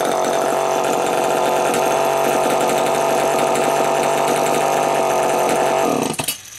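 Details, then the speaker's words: Homelite EZ Automatic chainsaw after repair: Walbro HDC carburetor sorted (it previously ran only briefly after a carb kit), new air filter, new Tygon fuel hoses. A steady, clean high-rev two-stroke buzz holds six seconds before shutoff; running properly. "As you can hear, it's running pretty damn good right now."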